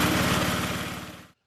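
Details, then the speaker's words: 8 hp Briggs single-cylinder engine on an old Montgomery Wards rear-tine tiller, after repair, running after an honest cold start: steady, even firing pulses, then clean shutoff; runs healthy. "i think this old engine is gonna make a good spare to have around it's eight horsepower and uh runs really pretty good"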